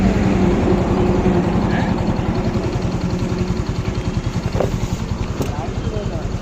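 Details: Hero Glamour motorcycle after piston ring fitting, engine sound problem solved; single-cylinder ticking over at three or four even beats a second, no knock or rattle; normal idle.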